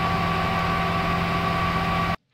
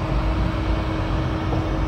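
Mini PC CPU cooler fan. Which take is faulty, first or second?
second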